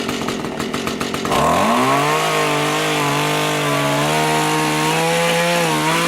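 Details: Small two-stroke rototiller tilling soil after carburetor cleaning and low/high mixture adjustment, following winter storage with fuel in it: picks up sharply, then holds strong steady high buzz under load without stumbling.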